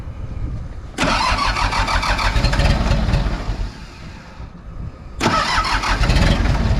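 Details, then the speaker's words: Mitsubishi BD2F dozer diesel, first start in a couple of years, low on fuel: slow labouring crank on weak batteries, then it fires, chugs, sags and picks up with more throttle; hard starting on weak battery. "so I don't know if we're ever going to get enough battery boy just ain't getting much out of those"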